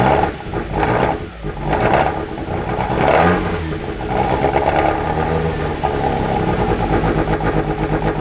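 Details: 1997 Miata, stock block, ported head, 264 cams, Maruha ITBs, Freedom ECU, first start: surging, stumbling, hunting rough idle; suspected burnt-out TPS making ECU read wide open, throttles may need resync.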